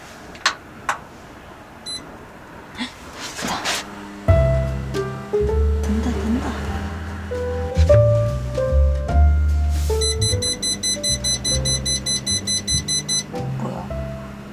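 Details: Toyotomi LC-33M kerosene fan heater, powered from a power bank in a Starex camper van: short high beeps repeating about twice a second over music. The heater throws an error and won't start.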